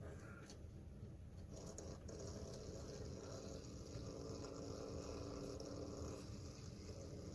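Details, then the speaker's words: Small gear motor for a camera arm running slowly on a bench at about 5 volts: quiet steady low buzz with a faint drone, a little noisy; quieter when held off the workbench. "so this one that's not bad it's a little noisy though"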